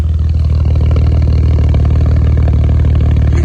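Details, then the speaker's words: BMW 535xi N54 idling: deep lumpy idle with occasional stumble; random cylinder misfires (earlier cylinders 3 and 5) persist after swapping coil packs; O2 sensors also needed. "We keep getting random cylinder misfires and I think we can kind of tell every once in a while, but she's running good for the most part."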